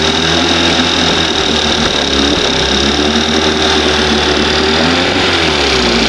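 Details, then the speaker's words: 1971 Johnson 20 hp two-stroke outboard, started with brake cleaner, mixture needle about 1½ turns out: high, buzzy note that wavers and dips, hunting rather than settling; mixture off, owner moves the needle toward one turn. "Man, she was really responding to that needle weird."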